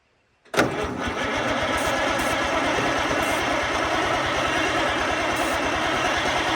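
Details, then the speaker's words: Oliver 88 row crop tractor, sat 20 years, with starter fluid: starter churns steadily about six seconds with even chug, never catches; cranks but no start, suspected no spark. "well that's a bummer no spark i would say"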